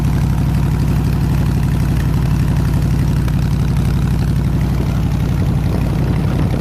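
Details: 302 V8 powering an air compressor, after the troublesome HEI distributor was swapped back to the old points distributor and the carburetor rebuilt: deep, steady idle with an even pulse, no stumbles or tapping; runs smooth and healthy.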